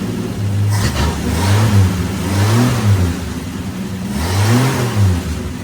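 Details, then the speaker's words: 1965 Plymouth Valiant that sat 33 years, just revived and run about 2 minutes, smoky, sticky throttle: loud raw uneven open-exhaust blare rising and falling with throttle blips, no muffler, though running has cleared up; loud exhaust from missing muffler. "No mler. No problem. Uh I'll take you around back over here. You get to see the exhaust. It's loud and it sounds horrible, but it really did clear up so much."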